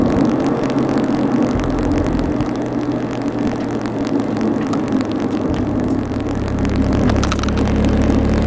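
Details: Car engine running with an uneven, stumbling beat and irregular pulses in the exhaust note; a misfire.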